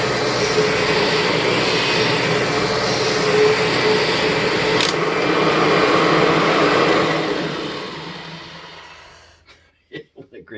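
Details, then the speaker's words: 1996 Kirby G4 vacuum cleaner before repair, with excessive motor wind-down time; steady whir with a rough, gritty grind underneath that eases as it spins down; the transmission may need swapping; transmission grind. "wind down last forever so the transmission grind so bottom line is I may need to actually swap this transmission out"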